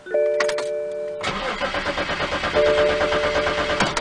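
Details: 2004 BMW 525 5 Series cranks steadily for about two and a half seconds but never catches, no start; cause was a failed fuel pump relay in the glove compartment, replacing it fixes it.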